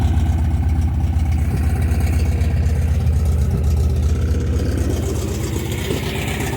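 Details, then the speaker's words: 1972 MGB after oil change, SU HIF44 carburetors synced and idle lowered from 1400 to about 1000 rpm: even, steady idle with smooth low rumble, no misses or hunting; engine running cleanly. "It's pretty smooth. I don't want the idle too low. That sounds pretty good."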